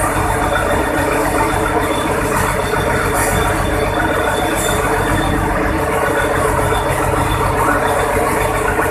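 A steady, dense diesel roar holds even from start to finish with no knocks or misses; the engine runs smoothly.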